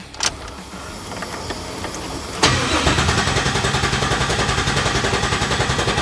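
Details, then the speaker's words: Chevy C10 Square Body with an LT engine swap, first key turn after the vehicle anti-theft system was disabled in the computer: a brief crank, then it catches sharply and settles into a steady, even V8 idle. Normal start and idle. "So the next steps here is the truck's all ready, it's running."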